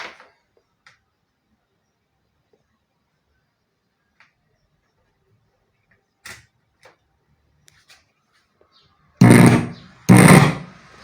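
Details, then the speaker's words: Oneal OCM 550 Bluetooth powered speaker on power-up: handling clicks then loud harsh bass-heavy roaring bursts, a burned output amplifier stage. "ela tá dando um sinal que tá ligando né mas porém ela tá fazendo um barulho muito horrível"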